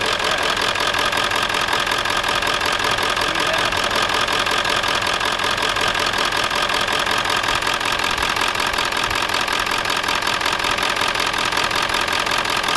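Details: Old Ford F-250/F-350 7.3L diesel, run about half an hour warming up, burning oil, smoke from dipstick tube, bad water pump bearing; steady hard metallic clatter about two and a half knocks a second; rough running misfire, suspected compression or injector trouble.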